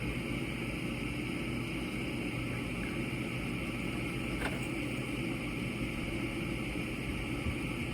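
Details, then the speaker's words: Gas furnace on a no-heat call with a carbon monoxide concern, retried after a rollout switch trip: steady low hum from the running inducer and one sharp click midway. Furnace is attempting ignition, door off. "The place that rollout is in and everything, well, I heard a click, so maybe we're gonna get an igniter. We don't have one. There it comes."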